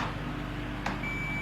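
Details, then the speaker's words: Multimeter continuity test on wiring run through a conduit pipe: over a low hum a steady high beep starts and holds, showing continuity between live and neutral, wires shorted somewhere inside the pipe; fix is to draw out and separate them. "The multimeter is ringing. That shows there's continuity. These two wires are kind of breaching somewhere inside the pipe."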